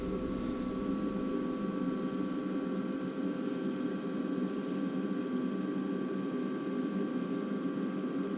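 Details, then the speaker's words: Carrier Infinity propane furnace after birds removed from blocked flue pipe and inducer reinstalled: steady, even inducer and burner hum, no rattles, surging or cutting out; normal operation after repair. "that's what it's supposed to do"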